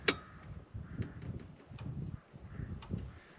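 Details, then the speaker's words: Old diesel dumper, unused for years, key on, powered from a booster pack: sharp single clicks about a second apart over near silence as the fuel pump's electric stop solenoid snaps in and out when the booster is switched; normal solenoid click. "The only electrics that you need in this to start it, bar the starter of course, is the there's an electronic stopper on the fuel pump. Don't know if you hear it clicking there as I turn on off the booster. That means it's getting power to that."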